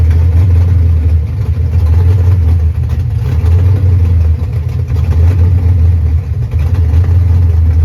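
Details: 1989 Ford Mustang GT Fox body V8 after bad TPS replaced, base idle reset and timing still to do: deep, steady rumble holding an even idle around 900–1000 rpm with no stumble; runs smooth, just wants fine tuning.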